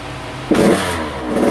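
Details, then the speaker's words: Husqvarna TC85 two-stroke after a full rebuild with new crankshaft, piston and bearings, warmed up and revved to check that the power valve opens. It blips up crisply and pulls hard through the rev range with no rattle or bogging. Smoke is from excess oil on the crank. "I want to rev it out and just make sure the power valve's opening up and she's revving out just fine and everything."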